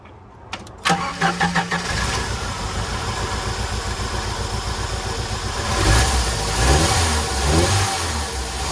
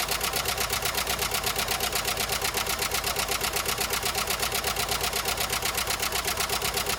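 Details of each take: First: 1993 Jeep Wrangler YJ, parked for years, after repairs: cranks a second, catches cleanly and settles into a steady, even idle with no ticking. It ticked badly on its first start; it now sounds healthy. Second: 1993 Jeep Wrangler YJ first start after sitting parked for years, on old oil: sharp, even tick about three per second over the idle; owner thinks the top end needs oil; valvetrain ticking.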